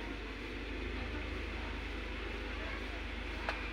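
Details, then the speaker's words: 2005 Honda City, restarted after sitting up to a year, radiator cooling fan switched on via scan-tool actuator test; steady even rushing whir with low hum beneath, no rattle or scrape; fan runs normally. "Kita on-kan. Nah, itu hidup kan ya? Kedengaran hidup ya."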